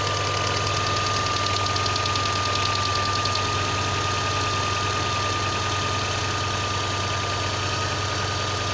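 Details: VAZ 2112 engine at steady cold idle: fast, fairly even tapping of about three knocks a second over the engine note; source unidentified.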